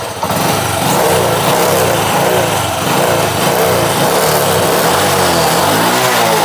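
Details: Honda Wave 100 that would not start, with a fouled spark plug and oil reaching the combustion chamber, just fitted with a hot C6HS plug before carburetor cleaning. Fires after a short crank, settles into a steady, even single-cylinder idle with no misses; normal start and idle.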